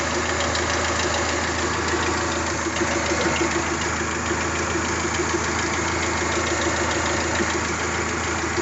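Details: Toyota 3S-GTE at idle: a light, uneven ticking rattle at about three per second over a steady idle. A minor rattle whose source isn't clear.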